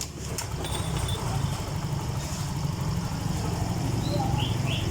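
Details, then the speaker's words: Yamaha Mio M3 scooter after MIL blink code 28 (engine temperature sensor) fix, ECU learning reset, temperature now reading 59°C instead of -20: steady low idle holding firm, idle speed noticeably changed from before; O2 sensor working. "ini langsamnya udah gede beda yang awal tadi"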